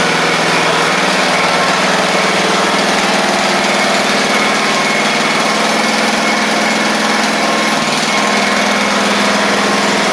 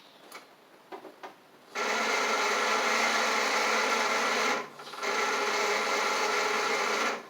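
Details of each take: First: Craftsman riding mower, after fixing a bad-ground no-start click, with oil at the add mark, holds a loud, steady buzzing speed with no stumbling; running properly. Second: Craftsman riding mower with a brand-new battery reading 12.5 V: strained, whirring crank in two short bursts that never catches; owner suspects a bad starter, and a bad ground is also noted for clicking on start.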